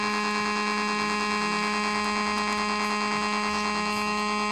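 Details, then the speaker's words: Homemade AC-powered AM transmitter, heard on a nearby radio: loud, constant low buzz with a steady tone; signal so strong it overpowers the radio; on switch-off the filter capacitors discharge through the oscillator. "in fact the signal is so strong it's overpowering the radio so let's switch it back off and there you go"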